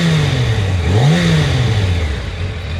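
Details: Yamaha FZ1, warm engine only: revs rise and sag unevenly, stumbling and jerky at low rpm with a rough idle; coils tested in spec when cold, plugs about 6000 km, two years old; cause unknown.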